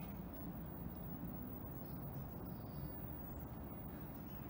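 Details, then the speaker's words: Old tube (CRT) TV, powered up: faint steady very high-pitched flyback whine over low rumble; it works normally, on channel three. "all that flyback sound it always screeches and actually works i thought it would blow up but it's actually working"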